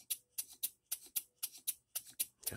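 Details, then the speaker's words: Rebuilt English bar-stock model engine, with new crosshead bearings, mains, reamed cylinder, new silicone-ringed piston, after nearly an hour of running-in, timing about spot on but running the wrong direction; sharp ticks about four a second with light clatter between, rattle, cause unclear. "our timing is about spot on but still running the wrong direction and uh I think our rattle you guys listen"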